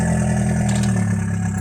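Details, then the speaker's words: VW Passat 1.8T with Stage 1 APR tune, free-flowing intake and downpipe, stock exhaust: steady even idle with faint high whistle over it; turbo now spools at idle, which it did not before. "The turbo did not spool at idle before. I love hearing the turbo."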